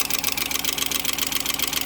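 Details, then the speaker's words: 2004 Ford F-350 5.4 Triton V8 idling, passenger valve cover removed: rapid, even metallic ticking from a loose timing chain guide; lifting the guide to tension the chain cuts the ticking about 75%. Chain, guides and tensioners to be replaced. "all right I hope you catch the time when I pick up the chain guide and apply more pressure to the chain and the ticking noise one way by 75%"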